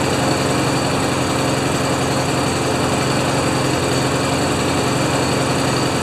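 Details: Craftsman mower with Honda GCV190 engine, neglected and not starting before, started on choke: fast, steady single-cylinder beat with no misses or surging; runs fine.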